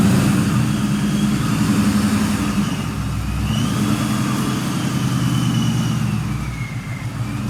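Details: 1999–2004 Ford Mustang GT with a newly installed Vortech V2 supercharger and 4-inch intercooler, on its first drive, heard from outside. The engine pulls past with a steady roar and a faint rising supercharger whine, smooth with no misses. Earlier fluttering was fixed once a part was hooked up. Normal running.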